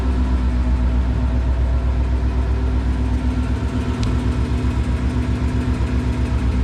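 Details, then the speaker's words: Ford Mustang Coyote V8 at idle: light, steady tick about four per second over smooth idle; adding oil changed nothing; owner feared rod bearings. "I don't know how well the camera's gonna pick that up I like it so I don't know how well you guys heard that there's that ticking there"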